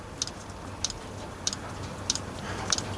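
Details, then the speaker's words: Diesel heater reassembled after cleaning out clogging from running used HV46 hydraulic oil: the fuel pump has just kicked in. Sharp, light ticks about every 0.6 s (roughly 95 a minute) over quiet room noise. Dosing pump priming normally. "Right, the pump has kicked in. Let's wait for it to prime through."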